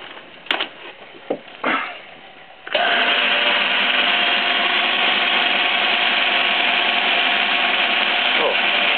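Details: Biernatzki milling machine test run after fitting a new drive shaft: a few knocks, then a steady, even whir with constant gear tone, quieter and smoother than the original shaft. Normal running.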